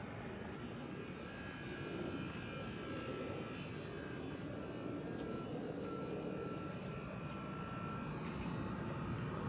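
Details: MG4 with air conditioning on: steady rushing roar with a faint thin buzzing tone on top, seeming to come from the left-hand side under the hood; owner believes it is not normal, cause unknown.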